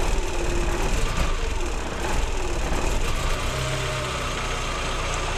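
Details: 1999 VW Golf MK4 after replacing the faulty mass air flow sensor that caused misfires (P0300, P0302, P0304): engine catches and revs up, then settles to a steady, even idle with no stumbling or hunting; running normally.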